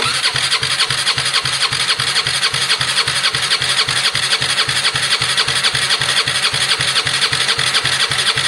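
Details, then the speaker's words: Gilera DNA 125cc scooter, first start-up attempt after a carb upgrade, no airbox connector fitted: steady fast chuffing as the starter spins the engine over, working only intermittently from dirty starter contacts. "Right, let it cool down. Oh, every time. I'm gonna have to clean that properly."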